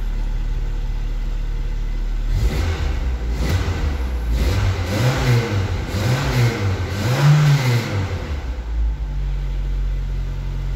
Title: Volkswagen Golf MK2 1.6 Petrol | First start after replacing a fuel pump